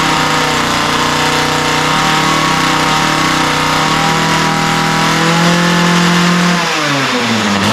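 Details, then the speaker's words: Ryobi two-stroke line trimmer, after a lean idle and top end were corrected by opening the mixture screws and setting the low-speed needle slightly rich: a steady, crisp, even buzz at high speed that drops smoothly back toward idle. The carburetor is running properly. "yeah so that's what I like to see it sounds pretty good right now I took a little tinkering with the low speed mixture needle to get it just right"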